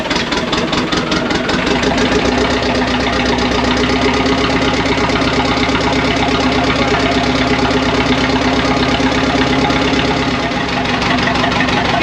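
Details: Early-1980s International TD8E bulldozer diesel, long-sitting and stubborn, in the cold start position with ether: catches and settles into a loud, uneven clatter around three beats a second; rough cold start.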